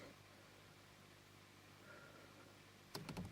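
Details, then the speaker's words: 2004 Holden/Opel Astra Ecotec on a battery maintainer, Launch X431 bidirectional intake manifold valve activation test: low steady hum, then about five sharp clicks as the valve is commanded; the actuator is heard moving, a normal response. "you can hear it click click click I don't know if it's variable on the thing but you can trust my route I heard it move"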